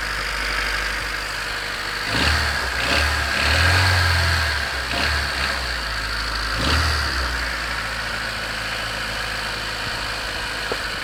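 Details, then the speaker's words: 1991 Honda CRX DX, D15B2 dual-port, 300,000 miles, cold start at 30 degrees: idle with a few throttle blips and a loose clatter about three times a second; owner unsure whether rod knock, piston slap or valve clatter; improves as it warms. "I don't know how much you can hear inside that the engine bay or inside the passenger compartment but so is that rod knock is that piston slap valve clatter everything not sure"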